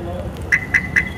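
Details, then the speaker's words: Maruti Swift central locking: three quick high chirps about a quarter second apart on locking instead of one, because a loosened bonnet rubber stop keeps the bonnet sensor from detecting the bonnet closed; bonnet open warning. "यह तीन बार बजरी है ना की एक बार बज रही है इसका मतलब कोई दिक्कत है और दिक्कत क्या है वो अभी दिखाते हैं"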